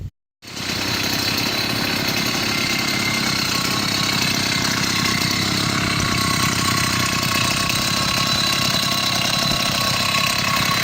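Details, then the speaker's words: Chinese 80cc two-stroke motorized beach cruiser bicycle engine after spark problems, with a new spark plug, boot and performance ignition; carburetor issues persist somewhat: after a pause it catches and holds a fast, even buzz with no misses. Normal running. "it's came together and right now it seems to be working goods and knock on wood talk to you later"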